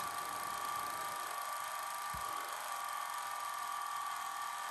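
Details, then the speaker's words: 1980 Sony Betamax SL-5800 VCR, old stuck-together tape; fast forward whine sags, nearly stops, then recovers, tape binding, fast forward slowing on sticking tape. "fast forward looks like it's slowing down though that's not good it's basically stopped"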